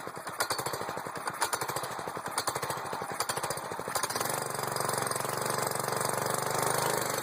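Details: Buggy engine being revived after a fire, owner made an adjustment and fuel is reaching it: about four seconds of quick uneven chugging while cranking, then it catches and settles into a steady, even drone; normal running.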